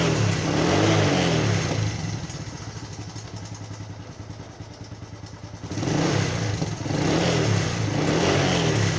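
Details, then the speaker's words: Motorcycle after topping up its engine oil and warming up. Revs and settles smoothly with an even, quiet beat and no chain rattle. The tensioner is now working because oil has reached it. "หลังอย่างที่เติมน้ำมันเครื่องลงไปแล้วก็อุ่นเครื่องซักพักนึงนะครับจะทำให้เสียงเครื่องยนต์เงียบลงเพราะว่าน้ำมันวิ่งเข้าไปในชุดตัวดันโซ่ราวลิ้น"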